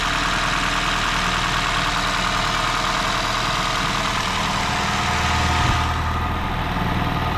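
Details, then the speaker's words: 2017 Honda Shuttle hybrid, 122,000 km, owner complains of valves clattering when cold: steady idle with a light quick ticking from one cylinder on one side of the head; valve clearance adjustment planned. "И покажу, что клапан все-таки маленько щелкает. Ну, должен быть звучок лишний здесь. Вот в этом цилиндре. Вот в этой стороне есть немножко посторонний звук."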